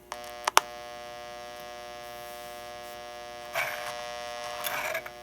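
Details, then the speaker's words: Toy locomotive 326 Hudson air chime horn speaker with new replacement capacitor, horn not activated: faint steady buzzy hum with a few clicks; buzzing greatly reduced compared with the old capacitor. "so the buzzing is greatly reduced with the new [Applause] capacitor but the horn sounds just as loud as it was [Music] before"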